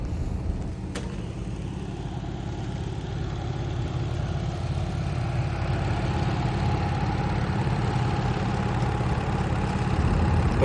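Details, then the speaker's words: Carrier heating unit blower during a no-heat call (set 80, room 64): loud steady low hum and rumble, suspected worn motor bearings; a burnt wire from excess amperage draw was found as the culprit. "And you guys hear that nasty noise in the background already. So that already sounds like the motor uh bearings are definitely wearing out."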